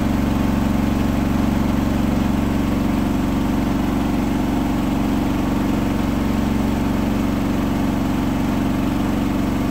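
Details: Hotpoint washing machine final spin at 1400rpm after a rolling bath sheet fooled the balancing and was thrown to one side: loud steady roar with regular low thump about twice a second, unbalanced load.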